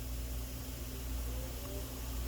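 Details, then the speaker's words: 2012 Hyundai Santa Fe V6 radiator cooling fan running at low speed with power supplied manually by jumping the low-speed relay pins; steady low hum and soft air rush, no rattle or scraping: normal low-speed cooling fan operation. "So now I can hear the fan running, and you can actually see it's in motion now. So that's just from me providing the connection myself."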